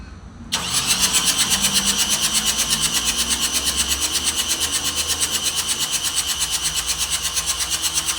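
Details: Nissan X-Trail T31 dCi diesel that won't start after aluminium cleaner went in the tank instead of DPF additive. Tank drained and fuel system being primed, air heard: the starter cranks at an even six beats a second for eight seconds but never fires.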